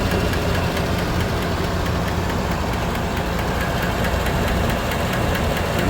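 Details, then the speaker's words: 2017 Silverado 5.3 V8, 25,000 km, AFM deleted, P0324 knock sensor code, idling with mic unplugged: left side quiet, light fast tick from the right bank; the same number four pushrod had bent again. "so there's the sound from the left side pretty quiet but definitely there's a kicking noise coming from the right hand"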